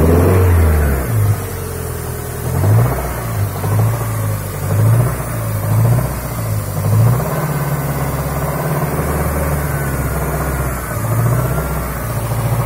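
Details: Toyota Sera with 5E-FHE petrol engine revving unevenly, with an irregular knocking under it as revs rise and fall. The engine knock's cause is unknown.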